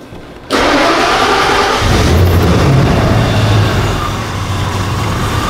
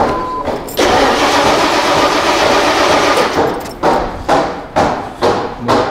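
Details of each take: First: Ford EEC-IV Lincoln Town Car after no-start, no-fuel-pressure diagnosis (blown fuse, pump okay): catches instantly after brief crank, settles into steady even idle without stumbling or misfire; healthy start. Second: Lincoln Town Car with Ford EEC-IV, fuel pressure gauge fitted: steady starter cranking and repeated short crank bursts, never fires; crank-no-start from zero fuel pressure.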